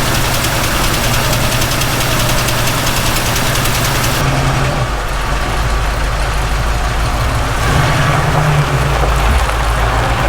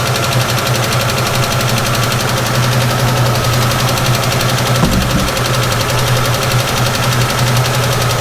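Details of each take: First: 1967 Ford Mustang V8 after carb reassembly; deep even burble dropping to a lower steady idle, no stumble or knock; possible vacuum leak suspected at the carb; normal idle. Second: 1967 Ford Mustang, long-sitting, carburetor suspected to need rebuilding, cold and idling rough on heavy choke: fast, even ticking over the rumble, a rattling PCV valve rather than a true valve tick.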